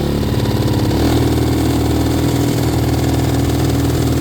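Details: 2017 Can-Am DS90X at wide-open throttle: the single putts unevenly, then settles into a flat, strained drone that never climbs, with backfiring. This bog at wide-open throttle persists despite carburetor and air-fuel tuning.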